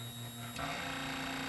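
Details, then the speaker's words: Epson ET-2710 scanner, lid off and controls reconnected, after two-red-light error: short electric whir changing pitch as the carriage runs, as if it hasn't detected it's back home; suspected homing sensor issue. "oh that's the noise it makes like it hasn't detected it's got back or something that's exactly what it does"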